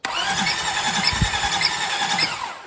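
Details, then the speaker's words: 2005 Lexus ES330 that stopped running while driving, coolant found, timing belt or water pump suspected; cranking with spark plugs refitted, starter spins fast and even with no compression pulses. "nothing so yeah we definitely lost compression somewhere and I'm going to find out"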